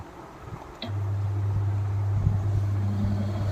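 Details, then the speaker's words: Orient water cooler after repair of its completely rusted body, with the motor section, water pipeline and back cover refitted, switched on: silence, then the motor settles into a steady low, even hum without wobble or rattle; normal start-up. "तो देखिए cooler चालू हो चुका है।"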